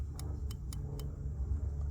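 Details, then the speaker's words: 2016 Subaru Outback key stuck in ignition: multimeter continuity test of the park/key-release microswitch gives four short beeps then silence, working only intermittently; internal switch gummed up and sticking. "It's intermittently working. So the problem actually is, and let me show you again, right, it's not working. consistently. It's working once in a while."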